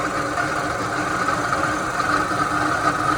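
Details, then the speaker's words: 1985 Chevrolet Astro Van with the 2.5 L Iron Duke four-cylinder and AC at idle: a constant rough whirring hum in the upper-mid range, no knock, from inside the water pump, which also feels slightly loose; failing water pump. "and the sound coming directly from the internal components of the water pump. And I'll let you listen to it so you can kind of figure out what what the sound actually uh you can hear the actual malfunction on the water pump there."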